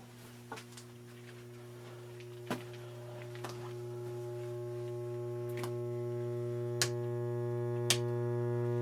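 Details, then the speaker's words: 1966 Gibson GA-15RVT Explorer tube amp powered up on the bench, drawing 0.14 A: low steady mains hum swelling as it warms, typical of bad filter/power capacitors; output tubes also rattling. "that's a lot of hum that's usually associated with bad capacitors"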